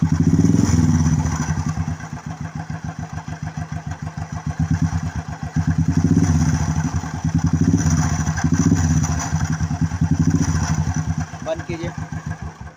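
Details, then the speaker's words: Royal Enfield Thunderbird, single cylinder, run with chain and clutch removed and only the starter one-way fitted: thump swelling with throttle under a hard clatter that sounds like engine failure, coming from the one-way. "देखा आपने आवाज़ इसके van वे में से इस type का आवाज़ ए रहा है"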